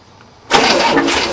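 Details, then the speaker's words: 1967 Cadillac starting after a bad battery cable, not the starter, was found as the fault; quiet, then fires at once and settles into a steady run. Normal start. "well that made a difference there she goes yeah it's worth more gas in there it was a [ __ ] up battery cable not my starter"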